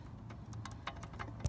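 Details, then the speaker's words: Worn idler pulley spun by hand with belt and tensioner removed gives uneven dry clicks, about four a second; pulleys were under heavy tension from the new belt, found bad during harmonic balancer job. "this is the other one that was bad i'm pretty sure you can hear that clicking they were under a lot of tension with this new belt"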